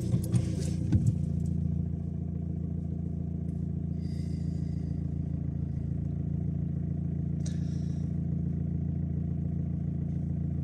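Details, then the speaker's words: Audi/VW/Skoda TDI diesel idle after replacing all four glow plugs for P0672 cylinder 2 glow plug circuit fault, started after three days parked; steady even clatter, no misses or surging, engine light gone and not returned: normal idle. "pas de voyant moteur remonté. Tout va bien."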